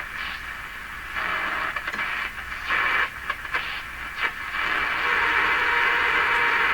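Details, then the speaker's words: Hallicrafters SX-122 shortwave receiver tuned around 17 MHz: hiss and station audio broken by sharp, irregular pops and crackles; intermittent fault inside the set, cause not found. "string just uh pop pop the end some kind of string problem in there"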